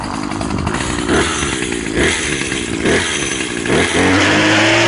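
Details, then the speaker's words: Troy-Bilt string trimmer, two-stroke (25cc medium-duty or 27cc heavy-duty), cold start held at full throttle: weak uneven buzz surging about four times a second, then settling into a steady high rev; normal warm-up, won't choke out once warm. "you'll hear the engine start to gradually build up it's um it's power it'll sound real weak at first but you just hold the trigger Full Throttle until it uh until you get it all the way up"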